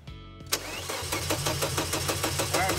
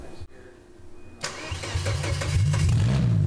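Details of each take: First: Volvo 850 with a built RN engine swapped from OBD1 LH3.2 to M4.4 with coil packs and variable valve timing, first start after rewiring in winter. The fuel pump hums, then the starter churns without catching. It has fuel and compression, so the suspected cause is no spark or no power at the computer. Crank, no start. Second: Volvo 850 with built RN engine, converted from LH3.2 to M4.4 with coil packs and variable valve timing, first start: a few seconds cranking, then catches into steady, even low rumble; no intake popping or exhaust spitting, firing order correct.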